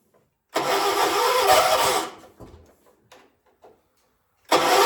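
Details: Hard start on a 1976 John Deere 300: long buzzing crank stops without catching, a pause, then another crank; engine hard to start.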